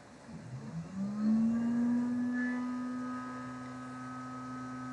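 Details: Small DC motor in a demonstration circuit with battery, switch, fuse and load: hum rises then settles into a steady, softer tone, running slow because extra resistance in the circuit drops voltage to the motor.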